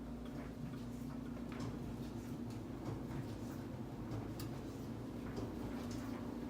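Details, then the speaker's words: Used Whirlpool 29-inch dryer with a full load, warped drum: low tumbling rumble with about one clunk per drum rotation; the clunk carries even into the next room as the recorder moves away. "the most irritating factor about this is that as soon as you move further away from the thing the dryer you do not hear the sound of the dryer so much but the clunk still carries as I approached you might hear it better"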